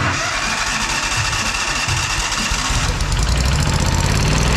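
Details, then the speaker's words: Kohler CH750 engine on a Miller Trailblazer 302 Air Pak welder after repair: catches near three seconds and settles into a steady, even low idle with no misfire or stumble; hasn't sounded this good in ages. "you guys hear that that hasn't sounded that good in Millennium"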